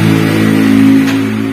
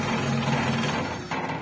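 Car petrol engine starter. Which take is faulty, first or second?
first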